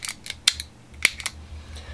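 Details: Old Shimano trigger shifter after disassembly and cleaning to cure sticking: crisp, separate ratchet clicks, each snapping cleanly; indexes smoothly without drag.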